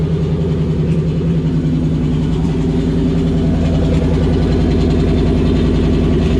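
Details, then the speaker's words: '97 Cobra with exploded clutch: loud rough engine run with an uneven pulsing beat, about two and a half per second; something clearly wrong, cause not confirmed. "oh that's obnoxious dude that sounded disgusting i don't ever want to hear that again"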